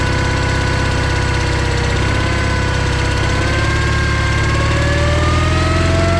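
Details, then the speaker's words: John Deere 318 twin-cylinder lawn tractor running after power was jumped to the starter with key on: even chugging at low fast idle, speed creeping up, no misses; normal running, no-crank fault traced to a safety switch. "You could see I ended up getting it running when I jumped power to the starter and had the key on."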